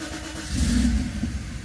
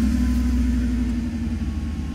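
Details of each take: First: Mercedes R129 SL500 / W124 E420 (which car is unclear) that won't start: engine fires and briefly revs, then sags and dies instead of holding idle. The throttle body doesn't open fully, a faulty electronic throttle module, before swapping in an exchange module. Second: Mercedes (R129 SL500 / W124 E420) no-start, with faulty burnt-smelling airflow sensor unplugged: steady even low rumble, no misses or hunting; idles smoothly.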